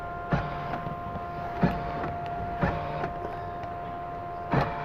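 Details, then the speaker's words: Old Jeep after alarm/BCM key coding and new remote: four sharp door lock actuator thunks about a second apart over faint hum; power locks cycling normally so alarm can be disarmed. "The door locks are now working. So he will have a way to disarm his alarm."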